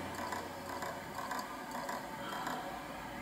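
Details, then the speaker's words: Old Seagate 80GB SATA hard drive on first power-up: sharp, dry clicks about twice a second as the heads knock instead of reading. The head is dead, from wear of the platters and heads with age. "нас слышите бьется головками но это все это головка значит умерло"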